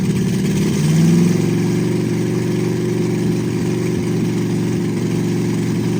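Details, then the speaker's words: 1960 Ford F100 shop truck V8 with open headers, just run for the first time in years: low idle with a quick blip, then an uneven, wandering beat that never settles; rough idle, owner suspects gummed-up carburetor and metering plate. "All right. Well, it's showing to idle. It's got a lot of issues. I got to figure out the um Well, I mean, I'm sure it's got gum up in the carburetor."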